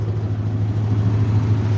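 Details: 1969 Ford Mustang Mach 1 V8, first start in months: deep, steady low rumble with an even beat and no knocks or ticks; smooth normal idle.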